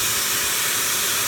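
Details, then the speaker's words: 1979 Toyota FJ40 Land Cruiser exhaust pressurized by a vacuum, engine off: loud, steady, airy hiss at the leaking exhaust manifold gasket, found with soapy water; the intake and exhaust manifolds will come off for a new gasket. "it looks like I'll be taking off the intake and exhaust manifold and looks like we'll be putting the gasket between the intake in the exhaust manifold"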